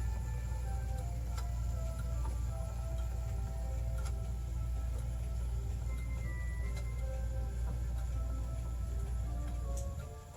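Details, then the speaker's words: German 9-tubular-bell Urgo grandfather clock mechanism circa 1980, test-run after repair: clear ringing tubular bells play the Westminster melody then strike the hour over a low steady hum; chime and strike clean and healthy. "So that's playing a Westminster melody. And then right there, that's striking the hour on the left-hand side."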